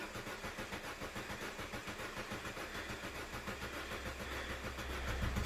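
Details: 2006 Astra 1.4 petrol crank no start, fuel pump fuse blown and pump not connected, on a booster pack: steady starter churning at about 3.5 beats per second without catching; no fuel delivery.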